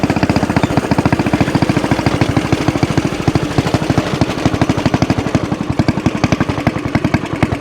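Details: Axis/Coleman M200 mini bike, 196cc single, tuned 22mm Mikuni carb with needle raised, exhaust, governor delete, flat out at about 31 mph GPS max: rapid, even firing stops climbing at the top end; owner suspects stock valve springs floating.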